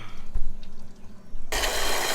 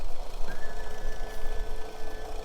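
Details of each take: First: Boat outboard cooling line: faint drips, then a sudden steady rush of water after clearing a major blockage in a clogged fitting; idle water pressure now 2.8 psi, normal cooling water flow restored. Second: Starboard boat engine idling with its cowling off: a rough, uneven, stumbling beat with a faint steady whine, a misfire that drops rpm noticeably when the shift cutoff cuts a cylinder; a cylinder drop test is planned.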